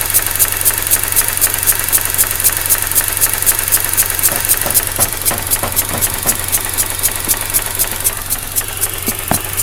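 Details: 2004 Mazda RX8 rotary, 110,000 km: very rough idle with power loss and rhythmic hissing suction, about four pulses per second (240/min, one third of idle), matching SSV ticking, seemingly from behind upper intake manifold; plugs, wires, coils changed; suspected intake/internal air leak.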